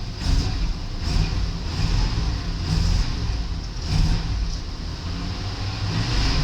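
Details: 1993 Buick Roadmaster 5.7 V8, 100,302 miles, engine test: a deep rumble that rises and falls cleanly with repeated throttle blips, no knocking or rattles; sounds good, a healthy engine.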